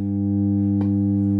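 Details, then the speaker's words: Valve (tube) guitar amplifier at switch-on: loud steady low hum with stacked buzzing overtones, unchanged throughout, caused by a blown valve visible at the back; valves ideally replaced in pairs. "that is a blonde shoe and you can see here that's blown so if you turn on your valve amp and you're a newbie and you get that sound at the back"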